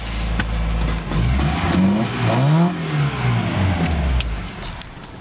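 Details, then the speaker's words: Lada engine after a new timing chain and an adjustable camshaft pulley set slightly advanced: revs climb and fall smoothly through blips, keys jingling nearby, no chain rattle; normal revving. "now the timing chain don't make that kind of noise but like it's made the previous because now it's new"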